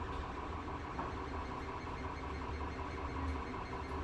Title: CR10 S5 GRINDING NOISE PROBLEM